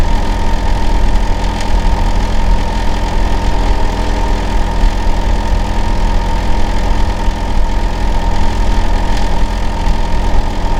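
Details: Neighbor's Hitachi air conditioner outdoor unit running in winter, running year-round: steady, heavy low hum with a constant droning tone and no rhythm change; loud running noise, cause not clear.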